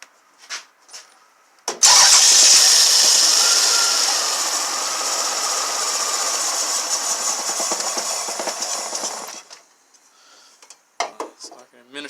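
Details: 1999 Toyota Avalon that came in stalling, with P1300 and check-engine light on: about seven seconds of steady cranking with only faint, weak catches while fuel is sprayed in. It never fires.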